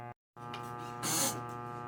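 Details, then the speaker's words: 1965 Ampeg G12 Gemini I guitar amp brought up on a variac at about 79-80 volts: steady low buzzing hum with gritty edge through the speaker even between notes; mains hum, some DC suspected on heater lines, unconfirmed. "got a bunch of noise coming out of the speaker um there seems to be some dc on the heater lines"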